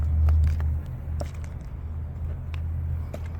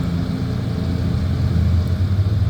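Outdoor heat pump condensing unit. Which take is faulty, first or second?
first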